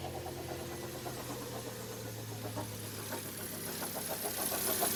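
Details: 2010 Vauxhall Zafira 1.8 petrol at idle: fairly regular deep knocking and rubbing, about three a second, over low hum; first thought rod knock, now suspected water pump or belt tensioner; auxiliary belt badly cracked.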